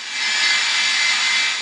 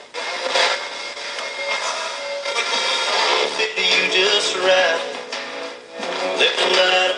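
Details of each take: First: Old AM/FM clock radio tuned off station after cleaning its scratchy, dropout-prone volume pot: radio hiss swells and fades smoothly as volume is turned, with no crackle, jumping, skipping or dropouts. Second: Old AM/FM clock radio with a dirty volume potentiometer: thin music crackles and briefly drops out as the scratchy volume control is turned, volume returns when jiggled; cleaning the controls is the fix.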